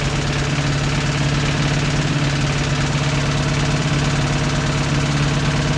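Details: 1986 Toyota MR2 AW11 engine from a salvage-yard parts car, idling after the last vacuum leak was fixed; steady low idle hum with a faint uneven tapping about two a second. Owner says it sounds like rod knock, not confirmed.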